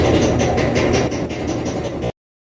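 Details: Kenmore Elite HE3T dryer, model 110.85876401: rhythmic thumping about twice a second over a low drum rumble. At least one drum roller is bad; all four rollers, belt and tension roller replaced with kit 4392067.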